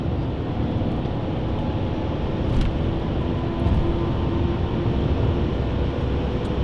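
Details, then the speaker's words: BMW 745i V8 at high autobahn speed, after snapping off a loose piece of undertray plastic that caused a returning noise. Even roar of tyres and wind, no rhythmic flapping or slapping underneath; underbody now quiet. "ly that noise came back and it needed taking away so i snapped the bit of plastic off the undertray should be gone though"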